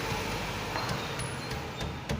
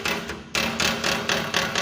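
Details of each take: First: Renault rolling over bumps after tightening a loose crankcase protector (skid plate) bolt with a 10 mm wrench: steady low rumble and soft bumps, no metallic rattle underneath; noise fixed without replacing parts. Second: Renault: sharp metallic knocks about every quarter second underneath the car over bumps, mistaken for suspension or engine mount; a loose bolt on the engine skid plate rattles, fixed by tightening it with a 10 mm wrench.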